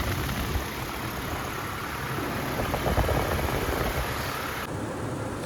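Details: GMC Canyon after serpentine belt and tensioner replacement, fired up with the belt correctly routed: a steady, even idle with a low engine hum and no belt squealing or chirp; the drive sounds healthy.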